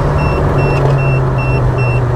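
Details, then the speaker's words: Mk1 VW Caddy with 20V turbo conversion, after wiring, throttle-body and boost-pipe fixes, pulling on boost in third gear: a strong, even engine roar under load with no hiss, flutter or stumble, with a faint chime beeping; it pulls cleanly. "you drop it down in third comes onto boost and talks it all down the road absolutely flies"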